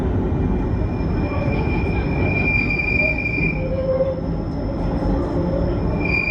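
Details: Eastbound London Underground train to Cockfosters taking tunnel curves left and right: high steady squeals come and go over the rumble, wheel flange squeal.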